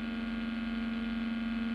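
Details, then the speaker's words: Electric guitar, clean channel with nothing played: steady low buzz with a bright tone that stops when the strings are touched; mains hum from missing cavity shielding, fixed with copper foil tape. "Oke jadi teman-teman bisa lihat dan dengarkan gitar Saya ini namanya adalah noise atau HAM gitu ya Nah Ton bisa dengarkan ada suara lain itu adalah HAM"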